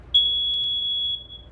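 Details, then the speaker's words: USI plug-in carbon monoxide and natural gas detector with battery backup sounding its natural gas alarm: one loud, high-pitched beep lasting about a second, then a pause, while the readout displays "gas". "it's a loud beep then a pause and that readout will say gas"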